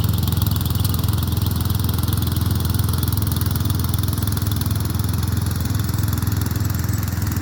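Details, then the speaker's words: Murray Select 30" riding mower mowing on a slight incline with unsharpened blades: steady single-cylinder thump about two and a half beats a second, holding speed evenly under cutting load; runs fine and cuts decently. "For the most part, it didn't do too bad. But then again, excuse me, you're talking about it's on a excuse me, it's a little bit of an incline there, but you know, it it cut decent without me even sharpening the blade, but I'll still do it anyway just to be on the safe side."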